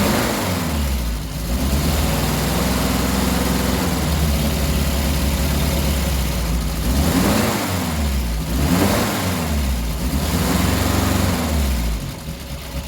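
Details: 1967 Triumph Spitfire MK3 abandoned project, first start-up: old four-cylinder fires and revs unevenly, lumpy at idle, smoothing as revs climb; rough running needing a tune-up, carbs to be stripped and cleaned.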